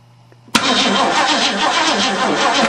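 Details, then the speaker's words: 1935 Mercedes stored 7 years, with points-and-condenser ignition, cranked by jumping the Ford starting relay. Steady starter churn but no firing at all; no spark was found and the points were later cleaned. Cranking, no start. "no I bet she's got no spark should've fired"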